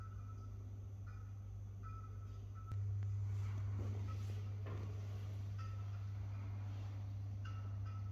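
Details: First-level stairwell light in an apartment building, recorded with a GoPro: low steady mains buzz that suddenly gets louder with faint clicks as it flickers; buzzing flickering fixture, cause unconfirmed.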